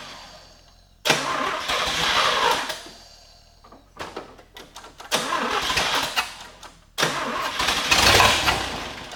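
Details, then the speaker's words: 1950 Willys Jeepster, Chevy 194 inline six with a Rochester B carburetor, after only the plug wires were replaced (same points and condenser), on choke: three short catches that stumble and die, never settling to idle. Rough running, cause unclear. "Give it a little choke. Timing. Come on. not too happy about something still."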